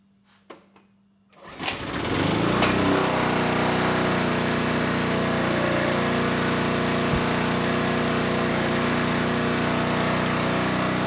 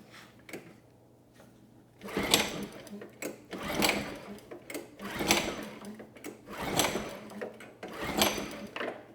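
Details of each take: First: Generac G1000 750 W portable generator, no history, started first pull; steady even buzz with no hunting or misses, 132 volts at 60.5 Hz; normal running, though the carburetor remains an issue. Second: Generac G1000 750 W generator, no history, ignition on, fuel valve turned, choke on then off: five recoil pulls spinning without firing; no signs of life despite enough fuel in the tank; carb needs removal and cleaning.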